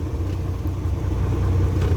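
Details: Isuzu 6WF1 diesel truck with a hard start, after replacing two stuck PCV valves that had caused over-pressure: a deep, steady idle rumble with an even beat and no misses or knocks; the diesel idles smoothly.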